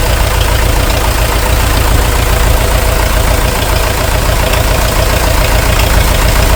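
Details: International TD-6 crawler, revived after 11 years sitting rusted stuck, running on diesel after gas start, following the #4 cylinder misfire fix. Even, steady chug about three and a half beats a second, no skips or knocks: healthy idle.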